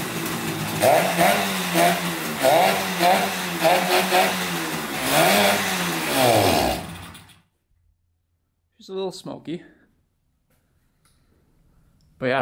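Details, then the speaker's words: 1971 Yamaha CS200 twin-cylinder two-stroke, sat over 17 years, running after a long-sought fix involving a black part: crisp ring-ding buzz rising and falling with throttle blips, then shut off; smoky but runs pretty good. "yeah, it runs pretty good. Woohoo! Smoky girl."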